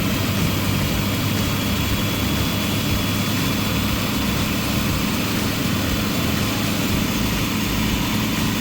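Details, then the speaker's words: Chevy RV engine, about 35 years old, after cleaning up the AIR system vacuum hoses and adjusting the timing: a steady, smooth idle at about 800–820 rpm with 19 inHg of vacuum and no misses or knocks. "okay 19 inches of uh mercury there not too shabby uh running about 800 rpm 820 rpm maybe"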